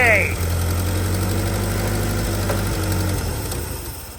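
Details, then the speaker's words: Old Hyster forklift flathead engine after fuel system, carb and wiring repairs: catches and runs a few seconds with low uneven beat, then sags and dies, idle screw wound fully in; engine stalling after start. "Okay, well, it doesn't want to continue running, but that's something."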